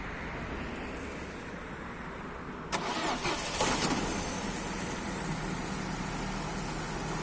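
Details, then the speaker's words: Opel/Vauxhall 1.4 16v engine just after new spark plugs were fitted: quiet, then the starter catches near three seconds and the engine settles into a steady, even idle with no misfire. Normal idle. "Okay, the car starts, runs smoothly."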